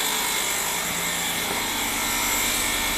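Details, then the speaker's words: 2006 Ford Escape after new alternator and belt, running, charging 14.3 V at 8 A: steady high whir with a light scraping rub over the charging hum; alternator fan and pulley rubbing its case, case possibly separated. "no more battery light i don't like the sound though sounds like the fan's hitting something oh what the hell"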